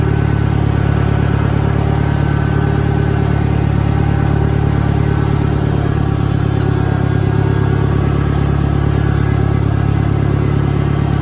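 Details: 1963 John Deere 1010, original and properly maintained, needing valve seals, with a Stanley muffler, in reverse on a backyard lap: a steady low drone with a faint, even gear whine, no grinding or clunks; normal, healthy transmission noise.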